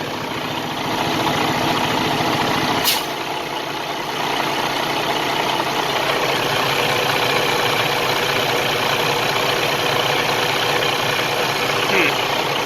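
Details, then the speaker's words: 2017 semi truck with DD15 diesel at idle in a pre-purchase inspection: a fast, uneven "taka-da" ticking knock, about three beats a second, over the diesel clatter; the cause is unconfirmed, possibly from the truck sitting. "This one has a noise somewhere over here. That noise, taka-da, taka-da. That doesn't sound normal."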